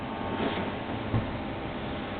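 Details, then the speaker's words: Xpelair WX12 extractor fan with original 1974 FR12 controller, salvaged from a demolished depot, low speed on extract: solenoid clunks as it switches, then a steady even rush of air over a soft motor hum, no rattles; normal fan running. "You can hear that fantastic clunking noise as the solenoid switches and as you can feel, it pulls. There you go, there's the noise. It pulls a lot of air."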